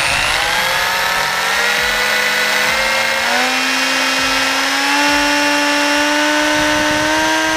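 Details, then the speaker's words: Team Associated Apex RC car on a bearing benchmark, run at about 200 W. Loud electric whine climbing in pitch with a rough grinding edge; the driveline drags excessively, and the front and rear diffs feel warm. "okay the car seats pretty balanced it's just loud and dragging"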